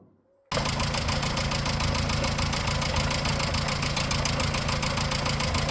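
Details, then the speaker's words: 1954 Morris Minor Series 2, noise first heard at about 50 mph, listened to at idle: fast, even ticking roughly three a second over the idle from the rocker gear, front two cylinders; valve clatter from excessive valve clearance. "Didn't sound like a water pump bearing, and we think it is in the front two cylinders. Not quite sure which one, and it sounds very tappity, definitely on the valve train,"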